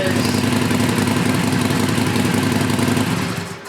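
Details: Used Harley Sportster restarted with the stock exhaust after the heat shields were fitted. A steady, loping V-twin idle with an even beat and no rattle from the pipes; it sounds healthy.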